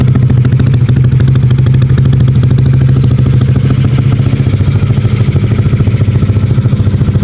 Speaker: alhamdulillah suaranya juga halus lagi ya tadi pertama suaranya kasar sekarang udah halus lagi